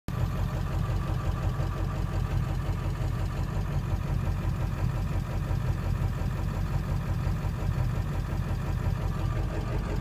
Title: Rough Idle